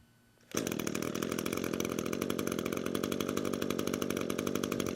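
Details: Gas string trimmer after the cold-start burp, moved from cold-start to run position, recoil pulled 2 to 3 more times: engine catches and settles into a steady, even buzz with no misses; normal running.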